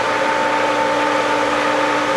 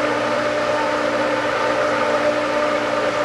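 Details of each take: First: Pool pump at spring opening, just after priming, water flow picking up: steady drone with a rushing hiss. The pump is still working trapped air out. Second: Pool pump after spring opening and priming: smooth, steady motor hum with constant pitch and no gurgle or rattle; pump holds prime and runs cleanly.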